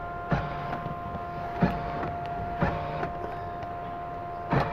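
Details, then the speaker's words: Car with alarm issue after programming a new remote via DRB in the body computer (BCM): four crisp clunks about a second apart, each lock actuator snapping over cleanly; door locks now working. "unlock lot we have the new remote work but I don't know if y'all can hear that the door locks are now working"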